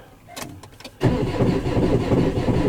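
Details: 2019 Maxus V80, codes P0335/P0336: starter churns the engine steadily but it never catches; no crankshaft position signal, so no start.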